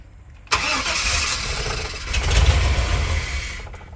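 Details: 1999 Chevy Express 3500 van: starter cranks steadily about three seconds without catching; crank no-start from security lockout after new module installed, security light flashing, relearn pending.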